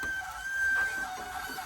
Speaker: if it's squealing yep it's coming through but something's up with this VCR